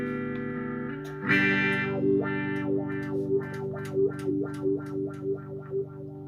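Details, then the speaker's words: Dunlop Crybaby Classic wah pedal, roughly 10–15 years old, after repair of static: repeated guitar notes sweep smoothly about every second to the bright end, no static or scratch at the top; pedal works properly. "much better sound already there's not that static at the top"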